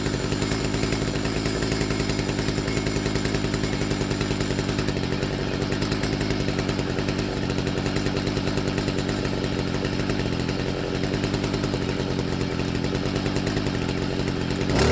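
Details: Stihl FS55R two-stroke trimmer on its first start after a HIPA carburetor swap. Raspy, uneven idle that sags as if about to die; opening the low-speed screw about half a turn improved it.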